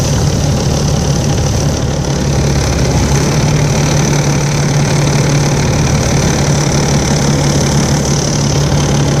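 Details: Volvo 7700A diesel city bus from Budapest (FKU-942) at idle: deep steady drone with uneven lumpy knocking undertone; weird noise these buses often make, cause unknown.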